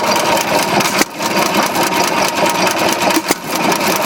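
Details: Old hit-and-miss stationary engine with Ford script spark plug and magneto, hand-cranked start, with a water line: steady running with even firing and a few louder pops, healthy at its rated, governed speed.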